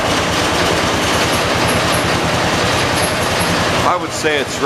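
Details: 1986 John Deere 216 lawn tractor, rebuilt single-cylinder, first cold start of day at about 50 degrees, around half throttle: loud uneven fast irregular chugging, ragged note; owner suspects carburetor needs adjusting; rough running.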